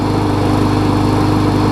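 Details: Murray mower with a 21-inch blade after a replacement engine swapped onto its deck (original shaft sheared): a smooth, steady rapid single-cylinder beat at idle with no misfires, rattles or hunting; normal idle.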